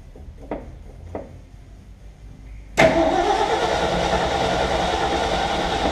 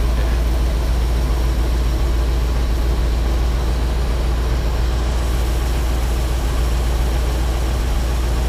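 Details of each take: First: Ford F750 haul truck, stock engine, possibly bad old gas, choke linkage jammed; faint clicks then steady cranking about three and a half beats per second that never catches; cranking no-start, no fuel delivery. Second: Ford F750 haul truck, stock 1974 Ford 391 engine, before engine pull: deep steady quiet low rumble at idle, no knocks or misses; it won't run past idle but idles healthy.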